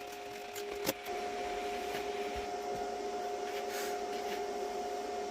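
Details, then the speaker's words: Vevor MIG-130 3-in-1 inverter welder after MIG welding at about 100 amps: a click, then the cooling fan keeps a steady mid-pitched hum long after the off switch, cooling itself before shutting down; normal fan run-on. "the nice thing is is you can hear I hit the off switch on that quite a while ago it thermally cooled itself down before finally shutting off so at least it's got that functionality"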